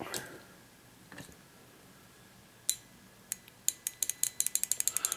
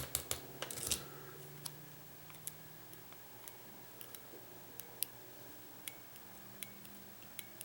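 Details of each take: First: 1994 Saab 9000 fuel injector on bench, removed from rail for cleaning and new seals, powered from 12 V battery: sharp crisp solenoid clicks speeding into a quick regular series; injector working normally. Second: 1994 Saab 9000 fuel injector on a bench test after cleaning and new seals: the relay ticks about once a second but the solenoid does not open and there is no spray, so the fuel injector is stuck closed.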